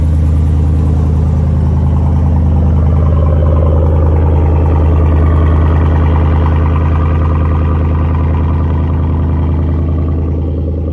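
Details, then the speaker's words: 2020 GMC Sierra V8 at idle, hood shut, after a new serpentine belt and idler pulley: deep, steady, smooth rumble with no chirp or squeal, belt drive healthy. "Moment of truth. Please, Jesus, don't be squeaking. Oh, buddy. No squeaky, squeaky."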